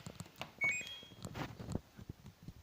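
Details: LG F4J7JY2W 10 kg turbo washing machine starting a 14-minute, 20-degree wash with 400 spin: a short high chirp rising in two quick steps as the start button begins the program.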